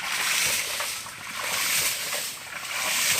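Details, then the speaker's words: DIY PVC/HDPE hydraulic ram pump with 3-inch, 24 m drive pipe and 50–75 cm head drop from drum: rhythmic water splashing and valve pulsing about once a second, strong steady vibration; pump cycling properly. "Pompa hidran PVC. Kita dengarkan suara getarannya cukup mantap. Suaranya getaran mantap ya."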